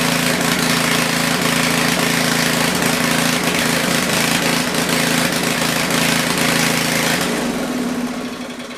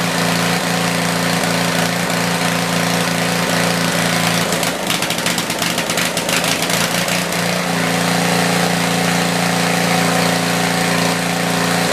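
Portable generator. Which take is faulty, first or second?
first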